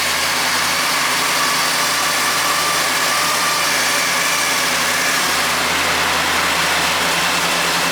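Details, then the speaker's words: 1968 Pontiac GTO, 461 stroker V8 with TH400, cold start after sitting since November and battery trickle-charged: steady, even idle with no knocks, misses or stumbles; normal cold idle. "let's try a cold start it hasn't been run since November"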